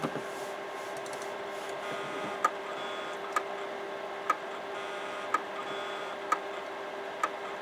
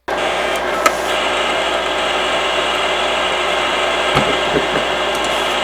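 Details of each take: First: Imation LS-120 SuperDisk drive with a SuperDisk inserted: sharp ticks about once a second over a faint motor hum, repeating without settling. The head constantly recalibrates and the disk is never read. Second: Imation LS-120 SuperDisk drive reading an official SuperDisk: steady high whir of the disk spinning up and running evenly, with a few light head clicks. It reads the 120 MB capacity; normal spin-up and read.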